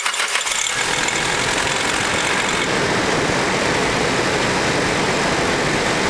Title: Nissan S14A SR20DET cold start (Chain tensioner noise)